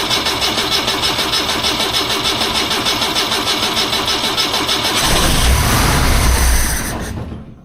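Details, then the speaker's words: 1976 BMW 2002 first run after restoration, Hot Spark electronic ignition installed, still warming up: fires quickly and settles into a steady even idle with no knocks or misses; sounds healthy. "Sounds like a pretty happy machine."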